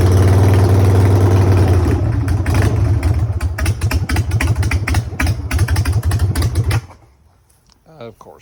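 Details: 2003 Harley-Davidson Sportster 1200 carbureted V-twin, revived after sitting about 10 years and rebuilt with new wiring: deep, lumpy lope with a few throttle blips for several seconds before shutting off. The bike runs normally after the rebuild.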